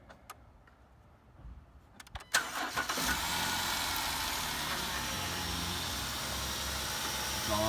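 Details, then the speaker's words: Jeep Wrangler JK (JKU) first start after power steering pump and pulley replacement, reservoir topped off with ATF+4: cranks, catches quickly, settles into a smooth, even idle with no whine or squeal; sounds great, normal start and idle. "all spinning and running, and that sounds great."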